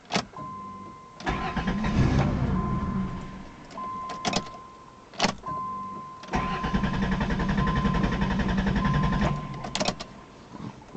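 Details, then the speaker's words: 1990 Chrysler Town & Country with a salvage 1989 Caravan PCM: bursts of cranking that never catch, fuel pump whining between them; it stalls and won't restart, losing spark though fuel works. Owner suspects the PCM, unconfirmed. "sometimes it just does this it just won't"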